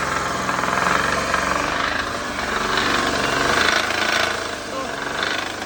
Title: Посторонний звук в двигателе, непонятный гул в двигателе, гудит движок, при повышении оборотов гул,